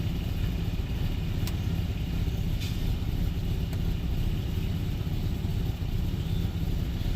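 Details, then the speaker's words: 1996 GMC Sierra C1500 V6 after mass airflow sensor fix for sputtering, hesitation and fuel consumption, warm after a drive, small exhaust leak: steady even low rumble, no stumble or miss, smooth idle. "it's pretty smooth it's not bad better than what it was"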